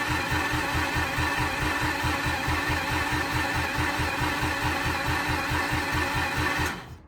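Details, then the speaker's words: Mazda RX8 engine being revived after a rebuild, with fuel present and missing plugs reconnected: even starter cranking at about four or five pulses a second that never catches; no spark because the crank position sensor was left out. "Going back to basics and pulling a plug. Let's see if we got spark. We know we got fuel because it was pissing out the other day."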